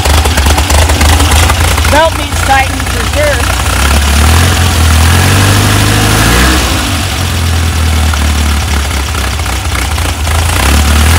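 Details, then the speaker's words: VW double cab (bus) air-cooled engine after an engine fire, restarting after rewiring the melted distributor wire and keeper and refitting points; catches and settles into a fairly even idle, a bit lumpy at first, no misfire or knock; belt needs tightening; normal idle. "it's alive I gotta tighten that belt but it definitely provided the electronic ignition as soon as I got the points in there it started right up"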